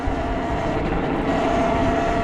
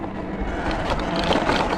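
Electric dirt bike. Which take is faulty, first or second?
second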